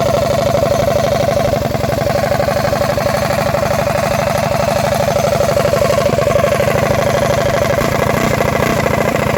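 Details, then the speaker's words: 236cc stroker Predator 212-based Motovox mini bike with DED billet head, freshly finished, fired up not too hot for a shakedown run: single cylinder pops along crisp and even at a fast steady beat, no knocks or misses; healthy running engine. "It's running pretty good for a shakedown run."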